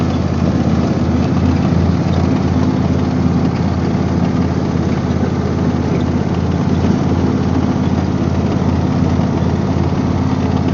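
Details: Husqvarna YTH24V48 48-inch riding mower running steady: loose, fast rattle about two or three a second; owner suspects a failing bearing despite greasing all points, source unclear.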